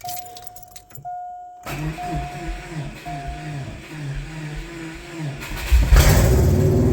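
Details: 1998 Subaru Impreza just swapped from automatic to a 2005 Legacy 5-speed manual, first start in neutral: keys rattle, few seconds of steady cranking, then fires and roars cleanly. Normal start.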